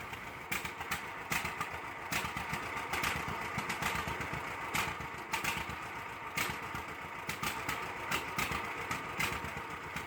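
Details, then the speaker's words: 1946 John Deere BO Lindeman crawler started with the manual carburetor choke left on: uneven, stumbling exhaust beat with irregular loud pops over a lumpy low idle; rich, rough running while leaving the garage. "In this video here, I started it with a choke on and as you can hear, it sounds terrible coming out of the garage and it's not until I just come out that I realized the choke's still on and and shut it off."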